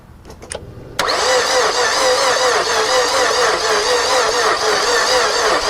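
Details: 2007 Mazda 6, spark plug wells full of oil, no coolant seen: starter spins fast and evenly, little labouring, no firing; crank-no-start with suspected low compression, engine later judged likely to need a new head or replacement.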